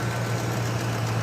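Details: 1991 or 1992 Ford Mustang Fox-body convertible, previously a no-start after fuel pump replacement, now running after a faulty relay was swapped: smooth, steady low hum, no knocks, ticks or hunting; normal idle.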